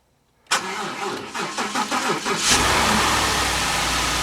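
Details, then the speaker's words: Damaged 2015 Ford F150 4WD with 60,000 miles, bought from Copart: about two seconds of starter cranking, then a smooth, even idle with no rattle. "sounds good no rattle 60,000 mile truck"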